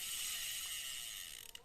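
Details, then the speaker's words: Secondhand Japanese-made Olympic LX-2500 vintage spinning reel (about size 4000), lightly scuffed, handle folds and switches sides normally: crisp, fast, even ratchet ticking while cranking forward, steady and unbroken; the clicker works normally and the reel turns smoothly. "เห็นแล้วโบราณครับรอกสะสมเป็นหมุนด้านหน้าจะมีเสียงกันกับแบบคันกลับทำงานปกตินะครับมันลื่นเลยครับหมุนด้านหน้าถอยหลังได้ครับ"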